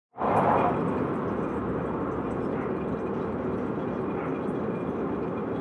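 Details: Peugeot 206 RC: steady rolling rumble and growl without knocks from the worn drive shaft center support bearing.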